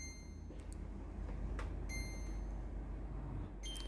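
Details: Philips AC1215 air purifier: display shows 88 with flashing red lights, a thin high beep sounding in bursts over a low fan hum, and no button commands respond.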